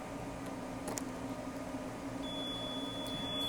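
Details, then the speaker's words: APC Back-UPS ES BE750G during battery replacement: steady high-pitched alarm beeping starts as the UPS senses its battery is disconnected, stops once the new battery is connected. "You will hear a beeping sound from the UPS. That is because the Back-UPS is sensing that the battery is disconnected."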